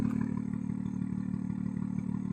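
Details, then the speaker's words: BMW M2 rebuilt from auction, first start with M Performance exhaust: deep, even burble at steady idle with regular pulses, no misses or knocks; idling smoothly. "no sound nice at idle and Performance Exhaust"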